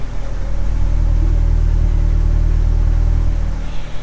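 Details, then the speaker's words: Drift car with new O2 sensor, cheap FPR and Bosch 044 pump: with O2 sensor unplugged the miss goes away, idle rises, steady even exhaust rumble from rear; sensor signal reads only 0.5/0.4/0 V, suspected faulty. "now the moment I unplug this miss goes away idle comes up and now it sounds like it's running perfectly"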